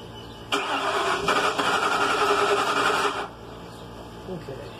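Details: 2001 Ford Mustang GT crank-no-start, with fuel pressure about 46–47 psi and holding without leaks: the starter churns at about three and a half beats a second for nearly three seconds, then stops. It cranks but won't fire.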